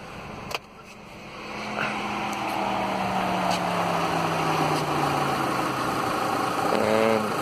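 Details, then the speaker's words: 2000s-era Mitsubishi idling after cooling fan controller replacement: AC switched off and the fan hum winds smoothly down and stops over a steady idle; fans now cycle off correctly, fault fixed. "are stopping cool that's fixed"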